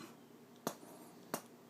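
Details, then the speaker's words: Kinergetics KBA280 amplifier fed from a preamp: each press of the preamp mute gives a sharp single pop over quiet hiss, a bizarre input-stage fault; the amp also plays through the right channel when turned off. Amplifier pop when muting. "There's just something very bizarre with the input stage on this amplifier."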